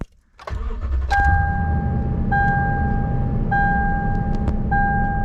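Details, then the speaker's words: 2007 Toyota Tundra 5.7 V8, first start after a throttle body cleaning: cranks, catches quickly and settles into a steady idle slightly higher than usual, under a repeating chime. Expected to drop as the engine adapts to the new airflow. "About the same, maybe a little bit higher than it normally starts, but you can expect it to go down over the next few days as I drive it."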